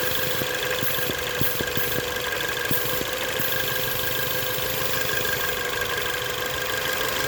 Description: 2017 Ford Focus ST possible vacuum leak Maybe